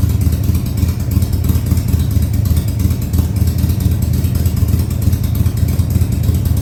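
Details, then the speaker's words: 2000 Harley-Davidson Sportster 1200 Custom, first start after six years sitting: deep, lumpy V-twin beat held at fast idle after several throttle-held runs, firing steady with no misses or clatter; oil tank then checked full. "i've run it a few times here with the throttle keeping it running and now i'm going to try i'm going to try starting it and getting it to idle for you maybe high idle for now"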